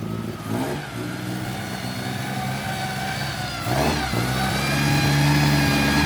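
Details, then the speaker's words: Astra started after almost two years off, full exhaust fitted: the engine revs unevenly with a light rattling whir on the belt side that follows rpm, from the worn belt tensioner, to be replaced with a new one. "ay ese ruidito que escuchan el ex tirador de correa que le vamos a adaptar el nuevo"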